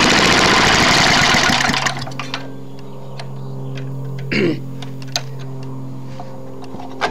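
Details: Trash-picked Tecumseh lawn mower engine, first start after many years sitting: loud ragged clatter, then faint uneven hum with scattered ticks; worn out, bad head gasket, carb and piston, burns lots of oil. Worn engine running rough.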